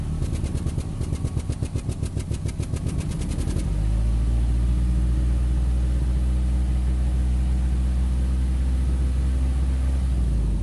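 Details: 2008 Nissan Rogue with check engine light and code P0300, rough idle, worse in low gear: cranks then settles into lumpy, uneven idle with low rattle underneath; misfire suspected, cause unclear.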